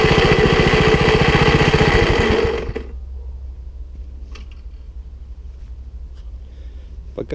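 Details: Tiller (cultivator) engine runs with a steady, even beat at idle for about two and a half seconds, then dies abruptly; it also stalls when the tines go into the ground. Owner suspects the carburetor or throttle settings need adjustment.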